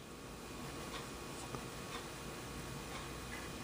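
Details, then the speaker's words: Philco 37-2670 radio tuning dial after the new dial was adjusted and felt pieces fitted to stop it scraping metal. Only faint soft ticks over a steady hiss as it travels end to end. Quiet dial movement. "no more metal scraping I like that a couple of pieces of felt was all it took"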